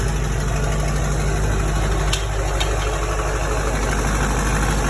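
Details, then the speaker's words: C10 with Duramax diesel, first start after new fuel system with lift pump, dry fuel system, tuned: firm, regular diesel clatter at a steady idle with no misses or stumbles; started well, no fuel leaks, normal idle. "see no fuel leaks started really well for it to be the first time it started with this fuel system and all"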